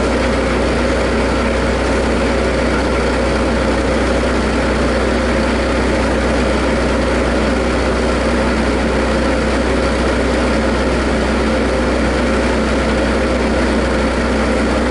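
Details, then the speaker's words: Bobcat after fuel tank pick-up tube fix and priming: even deep idle with steady low drone, no misses or stumbles; engine running cleanly after restart. "That's not the exact right way to do it, but this has happened many, many times out in the field, and normally I can get it running again this way. It runs rough for a couple minutes and smooth it"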